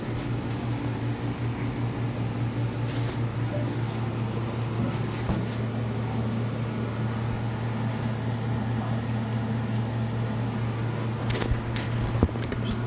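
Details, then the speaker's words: Marathon motor on a reverse osmosis system with a newly replaced rotary vane pump makes a constant low hum at one steady pitch; it was reassembled with wiring as before and contacts filed clean, but it still hums, cause not found. "put it back together the same way it was before the wires are all in the right place as far as i know i took a video record of everything and still making a humming noise"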